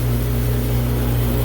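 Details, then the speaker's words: Glycol beer line chiller (power pack), dirty, restarted, 65 degrees, 117 V incoming; compressor and both pumps (two replaced earlier) running with an even, steady low hum, no rattles or surging; normal running. "Both pumps are running. We'll get currents on everything."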